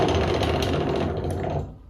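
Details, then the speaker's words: Motostandard 1010 garden tractor, wheel rocked by hand: a loose rattling clunk as it shifts back and forth, showing sideways wear of the wheel on the stub axle. "And now the third bit of wear is how the wheel moves on the stub axle. Can't really see it too well, but there is a bit of sideways wear of the wheel on the stub axle."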